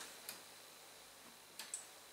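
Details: Bang & Olufsen CD50 under repair, drive belt being replaced: few faint sharp ticks in a quiet room with no drawer travel when open is pressed; tray mechanism clicks but never opens, owner thinks it believes a disc is inside.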